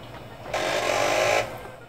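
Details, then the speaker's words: CD-ROM drive on a Creative interface card in a 1994-era AMD 486DX2-66 DOS PC build, spinning up a disc: about a second of rough scraping with a thin whine; disc rubbing on damaged drive internals, the disc itself unharmed. "Oh, I hear it spinning, hopefully it's okay... *Laughter* It sounds a little bit like it's rubbing up against something, which it probably is."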